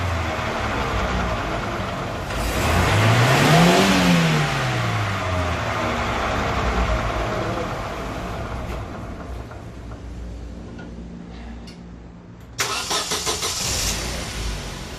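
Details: Daewoo Lanos/Sens front left hub bearing, car on a jack, engine running and the wheel spun in gear to confirm: low droning hum swells and fades with wheel speed; worn front hub bearing.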